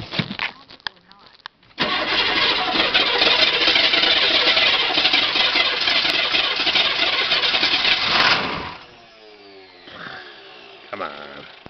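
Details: 2005 1010 with a good battery and a starter that sounds good: it churns steadily for about six seconds at roughly four turns a second before the engine finally catches; hard starting with prolonged cranking.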